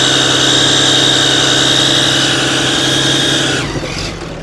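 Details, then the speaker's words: Cummins diesel work truck at idle, no check engine light: sharp puffing tick about four times a second; suspected exhaust manifold leak, cause not yet confirmed. "He is right. That is a weird sound. I was not expecting that. What does it sound like to you? Are you thinking? It sounds like exhaust."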